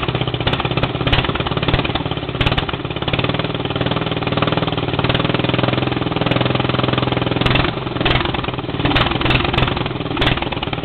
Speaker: all right I think it's warmed up enough to idle by itself well it's running that pretty good too yep it still sounds good